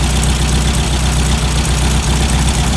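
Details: Classic VW Beetle air-cooled engine with dual Weber 40 IDF carburetors, idling while the carb sync is rechecked with a snail-type gauge; steady, even low-pitched idle, no stumble or hunting; carbs balanced, normal idle.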